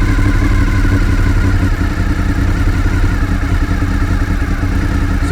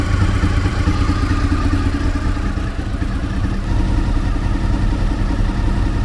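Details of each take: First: Fifth-generation Honda VFR800Fi motorcycle idling just over 1000 rpm before adjustment: steady low idle with even, slightly lazy beat and no misses; idle speed too low, to be raised toward 1400 rpm with the idle adjuster screw. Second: Fifth-generation Honda VFR800Fi V4 after idle adjustment: smooth, steady, lower-pitched idle with no misses or knocks, sounding slower and generally healthier; normal idle.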